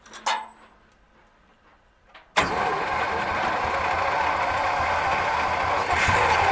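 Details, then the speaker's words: 1937 Buick Roadmaster straight eight: after a few cranks it catches and holds a loud, fast, steady high idle that never drops; throttle stuck open, pedal linkage loose and dragging. "Throttle stuck. The throttle's on. My gas pedal is not working."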